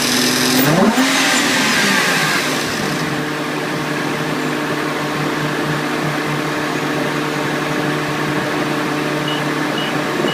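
A light, fairly even tick of about four per second rides over a steady revving engine; the cause is unclear.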